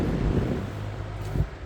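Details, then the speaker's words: Fan plugged into a regular 120 V wall outlet on a slow setting: a soft, even rush of air and a low steady drone with no electrical hum. Normal running. "if you can hear this, this is a regular sound on a 120 volts regular outlet. No humming."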